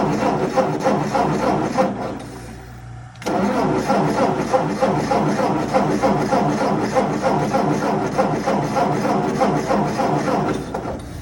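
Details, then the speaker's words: 1958 Ford 871 Powermaster Select-O-Speed tractor with fresh ignition parts: even cranking at about three and a half pulses a second that never catches, with a gas smell; a crank no-start, apparently from no spark in the ignition. "All right, so it's, again, still cranking. All right, so still nothing. So I guess it is now time to properly troubleshoot the ignition system and see where, you know, our gap is."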